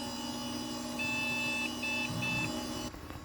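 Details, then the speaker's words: Hydro Thunder arcade machine not booting: three high beeps, one long then two short, over fan hum. The manual calls this a video card issue, but the cause proved to be a dead CPU battery, then a BIOS issue. "Okay. So, three beeps. Doot, which in the manual does say if there's three beeps, it's a video issue, video card issue."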